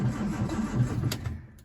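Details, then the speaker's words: Standard Vanguard III not started in nearly a year: catches about a second with uneven cough and sputter then dies; brief start with cough. "oh it's going it's uh I could hear it slight cough give it a give it a squirt I think I don't want to pump too much because can end up flooding it"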